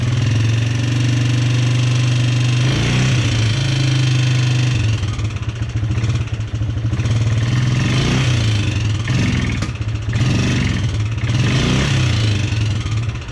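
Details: Polaris Sportsman 300 single-cylinder ATV idling with a fast, uneven light tapping from the top end that persists after timing chain and valve adjustment; owner suspects valve tap, cause unconfirmed.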